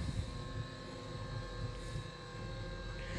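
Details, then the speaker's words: Acorn 130 straight stairlift, newly installed, travelling downstairs: quiet, even motor hum with a steady whirr, no knocks or grinding; healthy drive. "I'm now going to demonstrate traveling downstairs under stairlift so I'm going to push and hold the direction I want to go and away we go"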